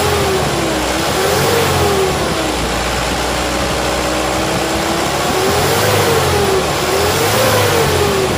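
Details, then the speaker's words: Mitsubishi Canter HDL 136 diesel box truck after repair, broken injection pump timer replaced: revs rise and fall smoothly, pulling cleanly with no knock or misfire; engine still smooth, normal revving. "Oke sudah ready bosku Ya enternya suaranya masih halus mesin Ada kemungkinan ya masih normal Masih"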